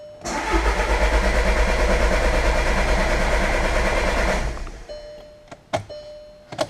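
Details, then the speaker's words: 2013 Jetta TDI after auxiliary fuel pump replacement and fuel system flush cranks steadily for about four seconds at roughly three beats a second before catching; extended cranking before start. "oh there we go well that was less than ideal but i'm over it she's starting"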